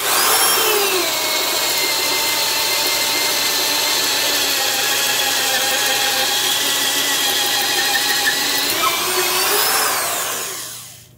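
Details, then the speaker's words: Porter-Cable 1/2-inch drill (5.2 A, 750 RPM, Jacobs chuck), compared with a Black & Decker 1309. A smooth, steady motor whine holds pitch while boring holes without bogging down much, then winds down evenly. Normal drill under load. "Just seems to not bog down quite as badly."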